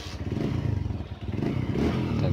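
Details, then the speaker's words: Honda Verza injection single-cylinder motorcycle after engine rebuild for clattering noise caused by running out of oil: quick even putter without the earlier clatter, engine sounding normal again. "tapi kendalanya udah ketahuan ya dan sekarang udah oke suara udah normal ya"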